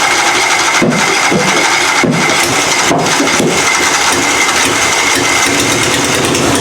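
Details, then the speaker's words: Puller engine "Plan B" on its first fire-up of the season after an annealed head gasket was installed and the timing adjusted: loud, steady roar with no misses or knocks. The gasket seems sealed and the carburettor still needs tweaking. "we got Plan B fired up sounds pretty good head gasket seems like it's all still sealed up uh timing sounds good now that I adjusted it"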